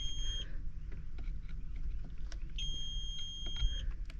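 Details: Tractor cab during fuse checks (30 A, positions 47–49) for blower fans. Two high, steady beeps, one short and one over a second long, sound over a low engine rumble. The cab warning alarm's cause is unknown.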